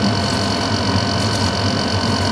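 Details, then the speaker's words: Running outdoor AC unit with a fast, fluttering rattle under its steady hum and fan rush; the fan motor may be out of balance or may just need lubricant. "fan motor is out of balance or just needs lubricant"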